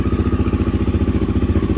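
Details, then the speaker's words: Honda XR650L single-cylinder after fitting a Mikuni TM40 40 mm pumper carb, fired right up on choke: steady but slow, loping thump about ten beats a second; idle seems set a little low, owner plans to raise it. "I think I may have to idle it up though. It's the one thing I've noticed."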